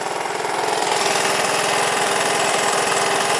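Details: Honda ATC200 three-wheeler fitted with an aftermarket PZ27 carburetor and a choke lever in place of the cable choke, no air filter fitted; a quick, even single-cylinder putter at about three beats a second holds steady; normal idle.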